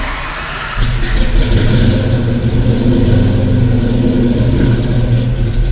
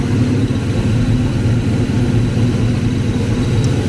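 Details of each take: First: Ford 5.0 small-block V8 Foxbody Mustang, rebuilt Kenne Bell 2.1L supercharger, 42 lb injectors, bigger MAF, first start, throttle nursed: catches, runs lumpy and uneven, pulsing with throttle; cylinders 2 and 4 cold, possibly missing on two. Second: Foxbody Ford 5.0 Mustang with Kenne Bell 2.1L supercharger, third start after fixing a couple of botched plug wires: steady deep rumble with even pulses, blower spinning without clanging or banging, a slight squeal heard; normal idle.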